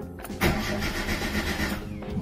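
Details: Hyundai Verna engine won't start and runs rough: brief cranking, catches unevenly and stumbles; ignition suspected, leak in coil or spark plug wire connection being checked, cause not confirmed.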